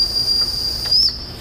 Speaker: so that is our low pressure warning our low pressure warning goes off at five hundred or less psi